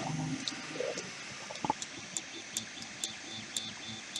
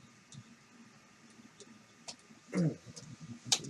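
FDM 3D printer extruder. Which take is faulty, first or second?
second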